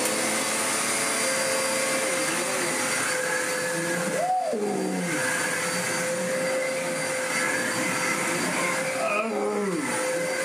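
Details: Hoover vacuum bought at a car boot sale, tested running: steady, even motor whine at constant pitch with airflow rush and only brief pickup noises; the motor sounds healthy.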